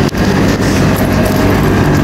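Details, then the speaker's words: Samsung dryer test-run after replacing the fan belt pulley bearing that caused an uneven thumping noise; steady low even drum rumble with no thumping or knocking, runs smooth and quiet. "Wala na yung ingay mga kalikod. Tahimik na."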